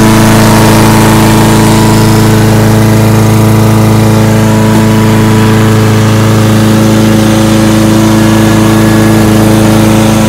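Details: Husqvarna lawnmower after blade replacement and tune-up (recent spark plug kept): steady, even engine drone at constant speed with no misses, knocks or surging; runs much better than before, normal running.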